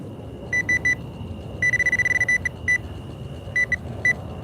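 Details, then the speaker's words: Metal detector at night on wet ground: high steady beeps come in short bursts and keep cutting out as the coil sweeps, suspected to be a small target being pushed around. "See how I'm losing the signal? So, I must be pushing it around and it must be little."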